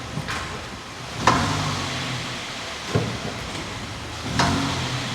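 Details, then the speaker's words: Hyundai Solaris, front-left: single dull clunks about every one and a half seconds over low road hum on hard takeoff or gear change; cause unknown, skid plate already removed and ruled out, hub nut tightening tried. "как же меня бесит этот стук при резком старте либо переключении"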